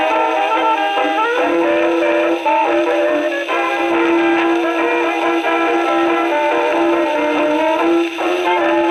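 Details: Second HMV No. 4 reproducer, just rebuilt, comparison test on Victrola VV-50 with brand-new mainspring: clear brass-band jazz, clean trumpet tone, no buzz, rattle or blasting on loud notes; sounds like a decent reproducer.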